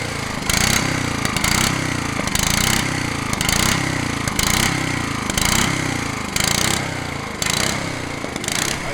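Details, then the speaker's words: Honda HRH 536 HXE professional mower running on choke with the blade clutch engaged: a harsh metallic clatter about once a second over the engine. Owner suspects the blade clutch, not the connecting rod. Metallic clanking. "quand même un sacré bruit métallique on dirait pas la pielle quand même je vais voir au niveau de l'embrayage du coup je pense que ça ça doit venir de l'embrayage de l'â ce bruit là"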